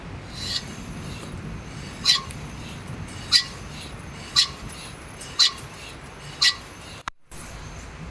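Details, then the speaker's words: 2013 Subaru Crosstrek XV wheel spun, mic magneted to a lug nut: sharp metallic scrape pulsing about once a second, pads worn nearly to metal on warped rotors; new pads and rotors to be quoted. "So, we found the the second issue, the grinding noise whenever they're hitting the brakes. These pads are just about down to metal and it's making the sound. You can also hear that the rotors are pretty warped."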